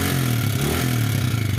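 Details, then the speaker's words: Yamaha New Vixion Lightning (NVL) single idling, checked with a stethoscope on the head, clutch side sounds smooth: fast dry metallic klitik clatter from the top end; traced to the rocker arm area, likely a worn, seized rocker arm bearing. "ya ini ternyata di bagian headnya ya di bagian keteng atau di templarnya di rocker armnya ada masalah ya nanti kita akan buka teman-teman"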